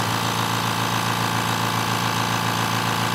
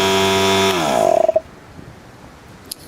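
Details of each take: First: Steady motor hum with fast, regular pump chatter and no knocks or squeals as a compressor builds pressure toward 130 PSI. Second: Loud, harsh buzzing drone from the old Harbor Freight 3 gal 1/3 HP 100 PSI oil-free pancake compressor pump, winding down within a second of switch-off; it had stopped building pressure and runs excessively noisy.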